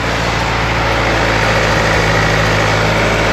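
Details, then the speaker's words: EF Honda Civic idling after fitting a shorter timing belt tensioner bolt to cure a belt that keeps loosening: steady, even idle hum with no slap, whine or ticking from the front. The owner expects the belt may loosen again after driving. "Pretty tight, right? Not a lot of movement there. Running pretty good. Sounding pretty good."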